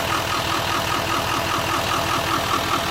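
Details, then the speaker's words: 2019 L5P Duramax diesel, under 60,000 miles, with an uneven, lumpy idle and heavy shaking from a major misfire; no connection to the cylinder 4 injector because of a failed injector connector pigtail, later replaced. "We're going to start it up now and you can see what it sounds like. Shaking a lot. I'll jump out and look at the engine real quick. You can tell it obviously has a miss."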